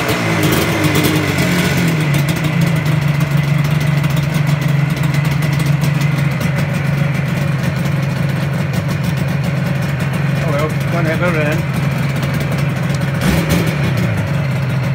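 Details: 1985 Yamaha RD350 YPVS two-stroke start-up after rebuild; crisp idle rising cleanly on each throttle blip and dropping back evenly; normal idle and revving.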